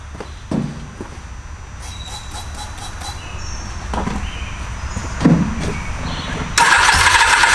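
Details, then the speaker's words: Inline-four auction motorcycle with four independent carburetors, believed to need syncing: after knocks and clatter the engine suddenly fires rough and loud, apparently on gasoline sprayed into the carbs. The cause is suspected, not confirmed. "This thing just fired up. That's pretty awesome. Let's try it again."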